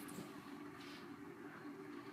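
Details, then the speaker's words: 1990 Heritage Spector 36" ceiling fan on medium, formerly seized motor: steady droning hum with rough rumbling from shot motor bearings, getting louder; oiling doesn't help, bearings not yet replaced. "see medium it picks up pretty good bearings are really getting loud now I've tried everything to try and quiet these bearings down and nothing helps it at all"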